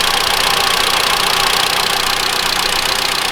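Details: 2013 Mitsubishi ASX 1.8 petrol, CVT, 448,000 km, after the alternator pulley was replaced. Stethoscope close-up at the bracket: a steady hiss and rhythmic pulse at idle, the old knock gone; normal.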